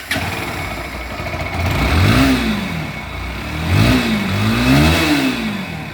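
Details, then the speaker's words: Pulsar NS motorcycle after an engine rebuild: a failed oil cooler starved the cam, rockers, head and con rod of oil and seized the engine, so the con rod, cylinder, camshaft and rocker arm were replaced. Clean revs, no knock or rattle; healthy. "এই জন্য আমাদের পুরো বাইকটার ইঞ্জিনের কাজ করা লাগলো, এক কথায় ইঞ্জিনটা সিজ করছিল। তো ইঞ্জিনের কাজ করার পর ইঞ্জিনের সাউন্ডটা শুনুন।"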